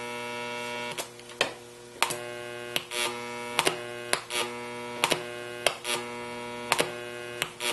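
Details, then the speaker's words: NuTone IM3003 radio intercom master station on a bench system, door talk mode heard from the remote door speaker: loud steady buzzing hum with regular clicks about once a second; common failure mode, before repair. "let's see what happens from the remote speaker we have door talk even though you can't see it there's a loud hum coming out of my bench door speaker"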